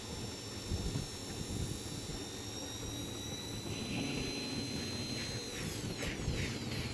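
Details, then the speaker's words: Dell Latitude E5420 laptop at power-on: steady high-pitched fan whine with rough airy rush, sliding down as it spins down; fan sounded broken, paper stuck in the fan blades found on opening. "देख रहे हैं यह काफी fan की आवाज आ रही है। तो इसको ओपन करते हैं और फैन इसका जो है ना चेंज करेंगे।"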